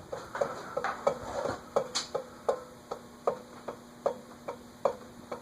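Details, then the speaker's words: Eagle Fan Corp 2811 retractable-blade ceiling fan with blades fully extended: sharp, slightly irregular ticks just over one per second over a quiet motor hum. The noise keeps getting worse, and the owner suspects the motor's top bearing. "I think it's from that top bearing. I don't see how that could have anything to do with the blades not retracting."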